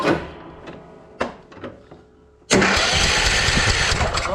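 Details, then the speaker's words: Troy-Bilt riding lawn mower, long unused and inherited, deck detached, choke fully on: a few clicks, then the starter spins the engine steadily at about three turns a second without catching; spark confirmed with tester, owner believes fuel is reaching, cranks but won't start. "yeah, there's spark all right. Huh, I wonder why this didn't fire up."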